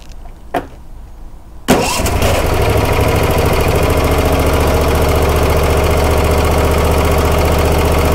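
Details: Troy-Bilt zero-turn mower after a service: the starter cranks briefly, then the engine catches at once and settles into a steady, even idle around 220 beats a minute; healthy start, with fuel seen flowing.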